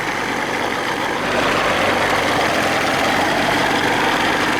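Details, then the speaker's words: 1987 Johnson 40 hp two-stroke outboard in the water. It now idles on its own with a steady, even burble, whereas before the throttle butterfly had to be held open to keep it running; it needs motor mounts: normal idle. "yeah everything's looking good the way it's supposed to before we had to put the throttle all the way up to here open this butterfly just to keep it running"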